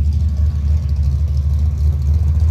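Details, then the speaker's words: Big block V8 Monte Carlo. Deep, even rumble with a steady beat and no ticking or misses; the big block idles smooth and healthy. "Steering's great, but listen to this thing. This little big block here, that sounds excellent."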